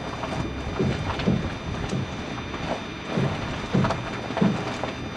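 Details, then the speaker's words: Ford, engine off, front left wheel: dull low knocks, about six in five seconds, as the wheel turns with the steering either way. Owner suspected the left strut bearing; service confirmed a bad strut bearing, and both were replaced. "okay this is few days after had the car serviced and it turns out I was right it was a bad strut bearing"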